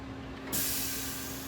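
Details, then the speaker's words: 1973 Mercury Cougar AC system: vacuum machine hooked up after compressor install; steady hum, then a rush of hiss as the pump starts pulling down. Normal vacuum pump operation. "It's starting to make the vacuum."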